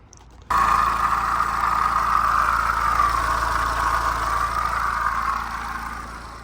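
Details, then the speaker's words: BMW 1 Series 118d diesel at idle after new belts and pulleys and a service: a steady mid-pitched whine persists over the idle, a worn water pump bearing, so the water pump must be replaced. "Alright, I've got it all up and running now. Obviously you can hear it's still making that noise. So I'm going to have to change the water pump."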